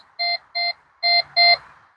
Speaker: You hear that beeping noise and as I go away it stops. So again let's go by that ring and you can just hear it.